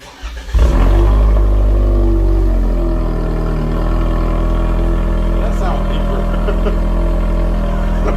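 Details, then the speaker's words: 2021 Toyota Camry just after an aftermarket exhaust install, remote started: quick crank, catches within a second into a smooth, deep, even idle that sounds deeper than before, with no puffing; no exhaust leaks found. "That sounds deeper than before. Check to see if we got any exhaust leaks. Dang, that sounds good."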